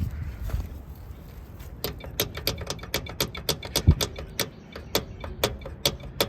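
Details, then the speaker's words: Below-freezing cold start attempt, about 30°F; starter button frozen, rapid uneven starter solenoid clicks with no cranking; solenoid known to stick, banging on it didn't help: starter solenoid clicking, engine not cranking. "hear the solenoid clicking. Let me bang on the solenoid. I got a new solenoid for this thing because this one gets stuck sometimes."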